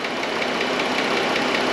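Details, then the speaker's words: 2013 Chrysler Town and Country 3.6 Pentastar V6 at idle, listened at the left bank valve cover: sharp, quick ticking in time with the engine, louder toward the front; a failing lifter is suspected. "definitely louder up towards the front so what i think we're looking at is a lifter that is having issues"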